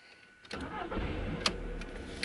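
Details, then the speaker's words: 2002 Mk4 VW Polo just after throttle body cleaning of carbon (EGR clogged light) and VCDS throttle body adaptation: starter catches within half a second, settles to quiet even idle; previous rough running gone, normal start. "just going to let it go up to operate in temperature and you should see now that the idling is a lot smoother and you've got no rough running engine which is what we had with this one"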